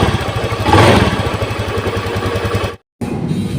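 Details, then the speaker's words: Honda Beat FI scooter with a rough starter, reported stalling and sputtering: engine putters at a steady low idle with a brief rev, then cuts out for a moment; intermittent stalling, possibly a broken wire connection, fuel pressure normal at 40 PSI. "Dia hidup ya teman-teman, tapi dia kadang-kadang berbet, kadang-kadang mogok."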